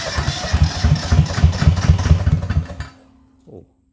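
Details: Yanmar YM1500 tractor diesel after restoration with a new homemade fuel tank: low rapid chugging for three seconds, then dies without firing; cranks but won't start, air in the fuel system needed bleeding.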